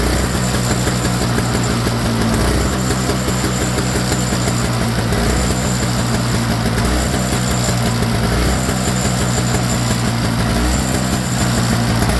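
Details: Toro Snow Clear snowblower model 38581, Briggs & Stratton R-Tek 141cc engine, idle surging, started after a part was pinched together with needle-nose pliers: steady putter with faint occasional speed rise and fall; a little better but not fully cured.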